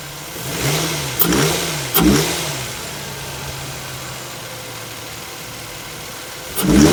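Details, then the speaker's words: 2005 Infiniti FX35 with the 3.5 VQ petrol V6 and a spun bearing: idles, then several throttle blips bring sharp knocks as revs climb. Engine to be swapped. "sound of a spun bearing. Beautiful, lovely sound of a spun."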